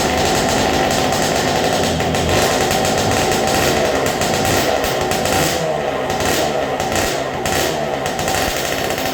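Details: 2000 Honda CR125 two-stroke, first run after top end and carb rebuild, on fuel syringed into the carburetor: crisp, busy crackle holding a fairly steady buzz without knocks or misses; fires and runs healthily.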